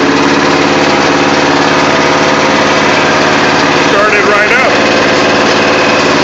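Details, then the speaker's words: Murray riding mower with a rebuilt single-cylinder engine that smokes a little, started at about 50 degrees; worn transaxle input now runs as a four-speed: busy, even idle with no knocking or hunting; normal idle. "so yeah you can see that she works I just took her out and made her a four speed instead of a five speed which kind of sucks but it works"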